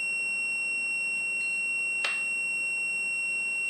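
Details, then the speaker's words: Whirlpool/Smeg ELTH 261N frost stat, frozen for about half an hour and now warming by hand: continuity tester gives a steady high-pitched unbroken tone on the orange and white wires, bimetal switch closed as it should be when frozen; expected to open near 0 ±3 °C. "when the uh temperature gets to about minus 3 I believe it's Plus or - 3° uh the switch will open which you hear when the buzzing stops"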